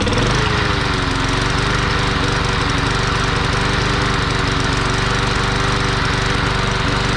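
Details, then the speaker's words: Curbside-found lawn mower running rich, suspected clogged carb jets, carb needs cleaning: loud, chuggy, slightly uneven beat about four per second, runs but rough and heavy. "yeah it's it's running rich so we got to clean the carb out"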